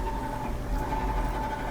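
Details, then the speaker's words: Frigidaire dryer that hummed or briefly started then shut off, likely from a dirty motor switch; after the fix the motor starts easily and runs with a steady low hum and even tone, no groaning or stalling. "plugged in and go to turn it on so it starts easily as it should"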